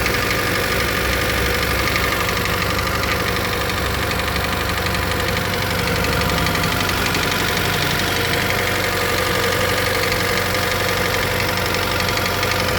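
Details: 2013 Hyundai Elantra 1.8 L four-cylinder, cold idle in winter: light, loose knock about three times a second; owner suspects piston slap, dealer says it's normal in cold weather.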